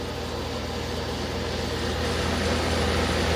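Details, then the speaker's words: 1994 DeLonghi 40-pint dehumidifier in a basement after minutes of running, coil frosted: steady even low hum with soft airy hiss, compressor slightly louder, earlier fan motor free play noise gone; normal running. "As you may hear, the compressor actually got a little bit louder after minutes of running."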